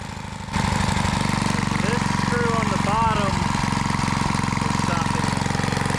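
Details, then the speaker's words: Trash-found lawn edger, after carb cleaner and adjusting carb screws: catches and settles into a buzzy, slightly uneven idle; running rough, owner thinks the fuel/air screws need more adjustment. "Doesn't sound like it's running the best, but I probably got to mess with some of those screws."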